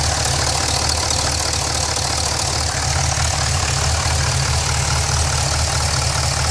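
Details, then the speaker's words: Pontiac GTO at idle: a quick, fairly regular knock at about ninety a minute under a loud exhaust drone, coming from the bottom of the engine toward the mid pipe; cause not identified. "This is the noise I was talking about. It's coming from the bottom part of the engine towards the mid pipe. The knock."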